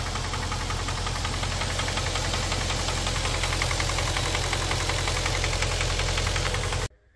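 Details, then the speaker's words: Infiniti M45 with a freshly installed replacement VK45DE V8 (about 60k miles) idling with a quick light tick over the low rumble; the tick appeared only on the first day and stopped after driving and letting fluids circulate. "so after watching that video it kind of sounds like it does have like a knocking or ticking sound but after I like drove it around the corner I let the fluids run through it it stopped"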